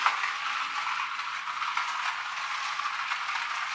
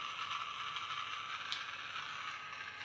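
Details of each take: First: Magic Track toy car after a superglue repair: a light, steady high-pitched gear chatter with no slipping or catching; the drive runs normally. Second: Battery toy car for a Magic Track set, running on three AAA batteries. Thin, fast ratcheting chatter with no low hum, like a small gear skipping on its shaft; the drive gear is slipping on its axle, with a broken gear still to be ruled out on teardown.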